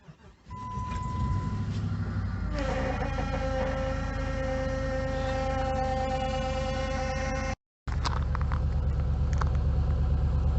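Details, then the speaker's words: 2006 Jeep Commander 5.7L Hemi cold start at -10°F: starter cranks, engine catches, then a steady mid-pitched power steering pump whine over the cold idle; only a little noise, less than expected. "so so as you could probably hear the power steering pump made a little bit of noise but it really wasn't that bad i was expecting it to be worse"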